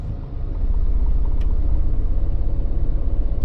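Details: Mini with a manual six-speed gearbox that rattles in all forward gears: reversing and building speed, a steady low drone with zero rattle. Normal gearbox in reverse, which rules out the flywheel in favour of the gearbox.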